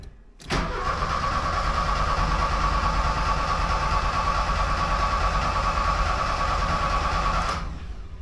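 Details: 1979 Porsche 924 with rebuilt fuel distributor, distributor just turned to the other timing mark. Steady starter whirr with even cranking pulses for about seven seconds, but the engine never catches. Timing is suspected, not confirmed.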